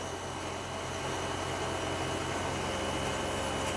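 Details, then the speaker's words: Outdoor air conditioning unit before fitting spring-rubber anti-vibration legs; very noisy steady humming drone with faint uneven throb as fan and compressor speed up, slight vibration felt. Cause not confirmed. "so terribly noisy I can feel slight very slight vibration but all together noise over there"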